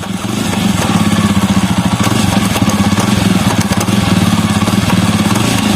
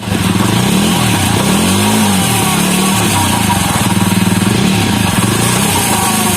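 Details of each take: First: Jawa Perak with engine running, in gear: fast even khat-khat clatter from chain sprocket; loose rear sprocket nuts, fixed by tightening with 6 mm Allen key. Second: Jawa Perak running after the loose rear sprocket nuts were tightened with a 6 mm Allen key: even, steady beat with no knocking from chain or sprocket; drive now smooth and tight.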